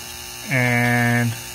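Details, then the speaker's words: Rain Bird sprinkler controller just plugged into mains: a loud, steady, low buzz or ringing for almost a second, then it cuts off; transformer hum suspected as the source, though the unit still partly works. "so it's making a funny ringing sound and it looks like I can't up what's this test program"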